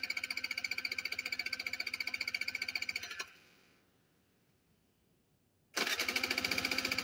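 Steady starter chatter at about four pulses a second, a pause, then cranking again, but the engine never catches: cranks, won't start.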